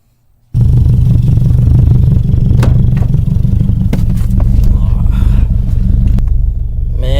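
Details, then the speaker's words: 2004 Subaru WRX just started after diverter valve replacement: rough, uneven low idle with irregular stumble about four times a second; engine misfiring. "you can hear this thing misfiring."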